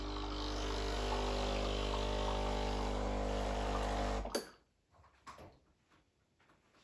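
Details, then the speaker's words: Breville Barista Express BES870 pump running a blank double shot with empty portafilter to warm and flush the group head: steady, even buzz about four seconds, then cuts off cleanly; pump sounds healthy. "put it on just a little bit and press the double this will warm up things with the hot water so um your handle your cap your grip head also will be nice and warm after this"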